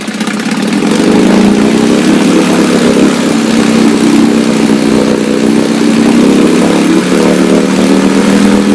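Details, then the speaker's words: Restored 1962 Johnson Seahorse 3 HP two-stroke outboard, warm day, started without choke, run at high speed after needle adjustment, water pump discharging warm water; steady even high-speed drone, slightly wavering tone, no misfires or knocks; normal high-speed running. "Get that needle just right, and it really trims it out. That's pretty doggone good."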